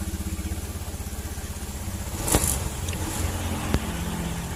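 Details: Honda Beat fuel-injected scooter that was totally dead, fixed after finding and repairing a wire chewed by rats and corroded: engine ticks over with a steady, even pulse and a brief blip mid-clip; runs smooth and healthy.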